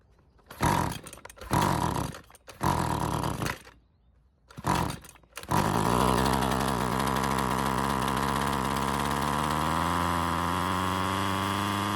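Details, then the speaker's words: Husqvarna two-stroke trimmer with heavy run time and questionable earlier repairs. Plug wire refitted without its boot. After several pulls with no choke and full throttle it catches and runs on its own with a rising buzz, then stalls. Fuel system suspected, not confirmed. "The engine tried to start and eventually it ran on its own. Unfortunately, it didn't stay running."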